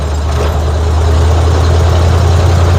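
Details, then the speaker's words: 1950 Ford F1 flathead V8 8BA driving after header gasket replacement fixed an exhaust leak; loud even drone, no pops, sputter or backfire when shifting or slowing, much quieter in the cab. "it was definitely much quieter now seems like all the popping that used to be used to do when slowing down and uh shifting gears that it did hasn't hasn't popped once"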